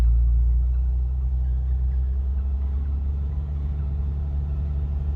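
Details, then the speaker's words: 1979 Opel Monza Series 1 barn find, previously running lumpy, after fixes: deep, even idle rumble with no misfire, slightly high idle, slight exhaust leak puffing underneath; normal idle, good oil pressure. "Don't know about you, but I don't hear a misfire. Slight exhaust leak. Let's give her a little blip. That sounds really good. It's idling a bit high."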